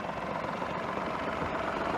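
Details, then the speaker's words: Citroen DS3 idling, heard from inside, after replacing a worn engine mount that had caused cabin vibration: smooth, quiet, steady even hum with no shake or knock; normal idle. "oh it's lovely and quiet in here sure yep that vibration was just from the engine mount"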